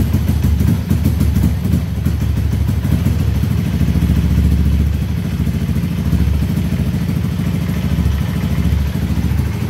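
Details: Honda Beat ESP scooter, battery too weak to crank on the starter, kick-started after a faulty ground signal was fixed: catches and settles into a steady, even single-cylinder beat with no misses or knocks; normal running.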